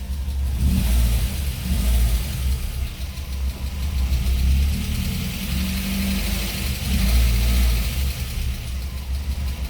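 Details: Cold start at idle on an Audi 80 B2 petrol engine after spark plug check: low steady hum, slightly uneven but fairly regular. Plugs look fine; owner wonders if a suppressor cap plays a role; tuning not quite right. Normal cold idle.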